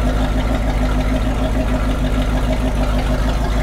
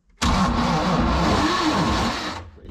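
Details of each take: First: MerCruiser 7.4 L 454 big block V8 marine boat engine, running on gas at least two years old, no heavy smoke; deep even burble, no knocks or misses: normal idle. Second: MerCruiser 7.4L 454 big-block V8 marine engine: heavy, labored cranking drone for about two seconds without firing. Voltage at the starter drops to 9 V, so the starter turns sluggishly; a bad flywheel spot is also noted.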